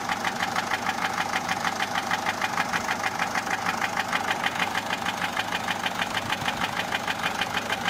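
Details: Peugeot 407 1.6 HDi 90 diesel at idle: sharp even top-end ticking, about three a second. Noise began after a road drive, with slight white smoke from the rear. Mechanic suspects tappets (poussoirs), unconfirmed.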